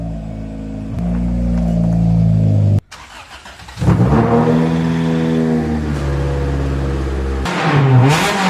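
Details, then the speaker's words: 1993 Honda del Sol with unbaffled muffler, before fitting new muffler: loud raspy blare rising and falling with revs, harsh crackle on top. "Right now it sounds like wing wang. And while this is, you know, this thing we we were going for as loud and obnoxious as possible"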